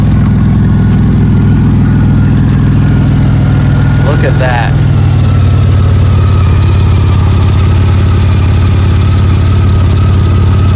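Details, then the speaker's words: Mercedes C32 AMG supercharged, after fixing shaking/rough idle issue, O2 sensors unplugged (tractor-like sound): deep, loud, steady idle with even firing and no stumbling or shaking; normal idle, just noisy. "that sounds really healthy honestly"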